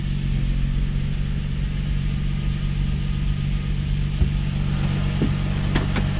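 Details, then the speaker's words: Infiniti G35/350Z first startup after installing an Exedy single-mass lightweight flywheel, stage one clutch, pilot bushing and throwout bearing: steady idle, first gear engages with light clicks and no grinding. "Starts up good, that's good. So goes into gear."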